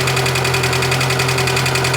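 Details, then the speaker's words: 2008 Chevrolet Niva petrol engine started cold: steady idle hum with a quick, even tapping knock, now appearing often on the road too and sometimes fading; owner suspects a valve. "вот сейчас завел ее на холодную вот такой вот звук и иногда в дороге тоже появляется но не иногда уже сейчас очень даже часто что-то стучит"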